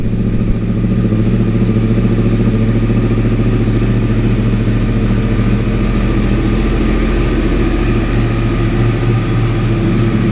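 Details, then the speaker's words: Wrecked 2014 Yamaha R1 crossplane engine, about 2,304 miles, in neutral; fires and settles to steady even idle with clean throttle blips, healthy with no knocks or misses. "let's hit the start button and see if this thing goes [Music] oh yeah fired right up"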